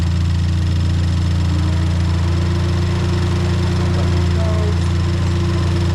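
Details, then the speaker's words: Ford Fiesta ST idling right after new spark plugs were fitted, checked for misfires: a steady, even low hum with no stumbles or missed beats. It runs fine. "Yep. She is sounding good."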